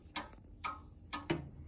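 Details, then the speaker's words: Edwards 6616 fire alarm control panel after replacing cooked capacitors on main control card; initiating circuit shorted, relay clicking sharply about half a second apart, correctly pulsing a code 3 temporal alarm. "I did set it to code 3, so you'll hear the relay clicking out the"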